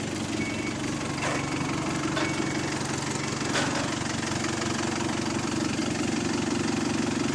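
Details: GAL SEN18 diesel bus on route 386: idle clatter with a faint, fairly regular ticking puff; an exhaust leak developing.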